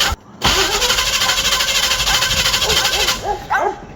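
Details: Small or big block Chevy sitting a long time, just fitted with a new mechanical fuel pump and filter, carb bowls being filled: about three seconds of steady starter whirring, turning over but never catching; cranks without starting. Cause suspected, not confirmed.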